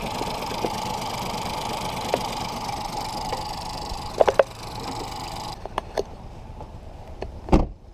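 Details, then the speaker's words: 2018 Ford Focus SE parts car, sat about three weeks with suspected water in a cylinder, running after a jump start; uneven, lumpy idle with a wavering hum and scattered clicks, in drive, lots of white smoke; cause unconfirmed. "it's in drive but we're not going anywhere she's lots of white smoke that's a white smoke it's alive"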